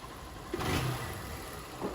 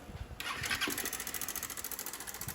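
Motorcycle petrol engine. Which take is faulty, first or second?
second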